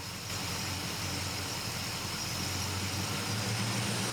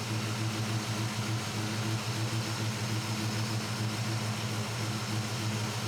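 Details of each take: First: Warmed-up carbureted Chevrolet C10 V8 truck during idle mixture screw adjustment for AFR: fast, steady raised idle with an even exhaust pulse; auto-tune raises idle to 1100 rpm and it doesn't come back down when turned off; high idle, cause unknown. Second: Chevrolet C10 truck with carbureted V8, warmed up, after adjusting idle mixture screws with Carb Cheater toward about 14.1 idle AFR: steady, even idle with a smooth low rumble and no hunting or surging; normal idle.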